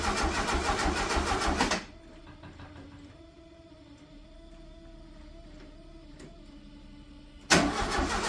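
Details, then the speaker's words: 1974 (owner believes) VW Super Beetle sat 8 years, fuel line run into a jug to check flow while cranking: the starter spins the engine at an even beat for a couple of seconds, and no fuel comes out. It cranks but won't start; the owner suspects a bad fuel pump. "All right, so we didn't get anything. So, I'm going to assume Sorry, my arm's in the way. I'm going to assume that that fuel pump um might actually be bad."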